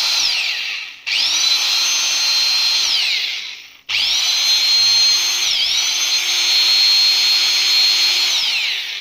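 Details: Angle grinder after servicing, two run-ups: steady high whine holding even and coasting down smoothly, revs rise as it frees up, no grinding, rattle or overheating; normal running.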